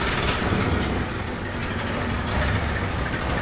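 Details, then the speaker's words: 1966 Cadillac DeVille V8 started after years in storage, smoky and needing tuning: it lumps along unevenly at idle and shakes hard, sounding like several cylinders are not firing; cause not confirmed. "it's got just the right amount of cylinders out wow you can't even focus on it it's vibrating so"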